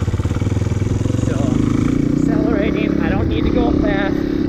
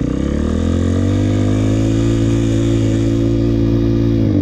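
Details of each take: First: Dirt bike casually ridden, shifted up to third gear, held in the low-to-mid rpm range without accelerating: steady, even exhaust note with no strain or misses, rpm properly matched to speed. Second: Dirt bike held in first gear at high, slowly climbing rpm with no upshift and little load, buzzing hard; a beginner's mistake of shifting too late and over-revving instead of matching rpm to speed.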